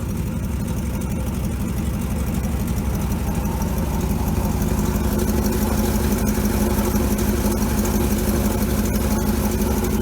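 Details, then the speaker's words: 1957 GMC 370 2-ton truck, original Pontiac 347 V8, revived after 20 years sitting, on its own tank, carburetor uncleaned and leaking: steady, even low rumble with regular firing, no knocks or misses; 30 oil pressure, before warm-up; normal idle. "Yeah, it sounds pretty good. Idling by itself there. That's without cleaning the carburetor at all."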